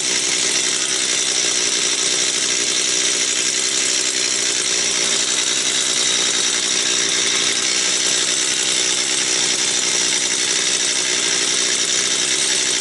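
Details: Stihl 250 chainsaw, about two years old, repaired after a no-start: steady, high, even howl holds revs through the cut without surging or stumbling; running healthy.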